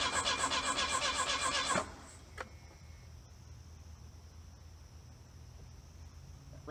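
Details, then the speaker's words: 1982 Plymouth Reliant, low mileage, dormant 29 years, spare plug grounded to test coil spark: starter cranks quickly under two seconds, never catches, then silence; crank no-start, no spark. "that sure didn't look like we had any fire did not look like we had any fire"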